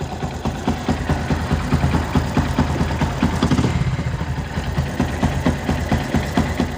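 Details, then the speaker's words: Yamaha Byson single-cylinder, 500 km after an engine rebuild with valves already adjusted: uneven idle with a light, quick tek-tek tick about twice a second plus a slight jingle; owner suspects oil, cam chain or tensioner, unconfirmed. "kita dengarkan suaranya semacam ada suara tek tek tek terus ada suara agak gemericik itu ya"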